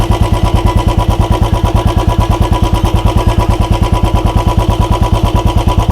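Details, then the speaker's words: Royal Enfield Bullet 350 (BS6/BS4/BS3 comparison), kick-started when the self-starter failed. Even, quick single-cylinder thump at a slightly high idle rpm, with no ticking or knocking between beats; engine makes no abnormal noise. "Engine से क्या कोई आवाज आ रही है? नहीं। बस RPM उच्च है यह हो चुका है।"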